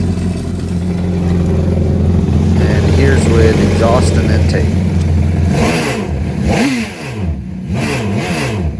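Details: 2011 Yamaha VXR out of the water with DIY filter-breather intake and DIY exhaust (90- and 45-degree elbows), exhaust leak just fixed: strong throaty rev climbing and falling back, even and clean, no puffing or ticking; normal exhaust note.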